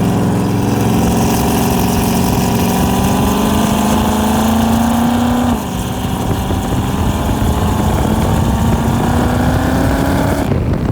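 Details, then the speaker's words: Turbocharged COPO Camaro V8 on its maiden drive, water temp good: a loud idle that hunts, sagging and climbing every few seconds instead of holding steady; idle surge. "Fix that idle surge."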